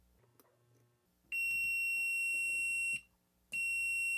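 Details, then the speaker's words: DigiTech Bad Monkey overdrive pedal footswitch tested with multimeter on continuity; two clean steady high beeps, each held while pressed: continuity present, footswitch working fine. "yep every time I push it it beeps so we have continuity the switch is working fine"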